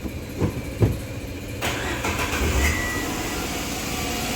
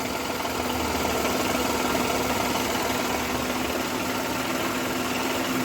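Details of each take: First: Renault Kwid with old faulty accelerator pedal fitted: after clunks engine holds steady raised hum, high idle RPM that won't drop; replacing pedal with new plug-in unit brought idle back down. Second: Renault Kwid that had a high-RPM idle, fault found with a Launch Creader scanner; after the faulty accelerator pedal was replaced with a new one, the engine settles to a steady, normal idle.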